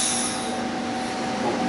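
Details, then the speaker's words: Control valve stroked by sourcing mA output from a Fluke meter, stepped back to 0% after going full 100% travel: steady air hiss with a faint tone as it moves closed, smooth with no sticking or chatter; normal operation. "What happened to the valve? It closed all the way. It went through 100% motion."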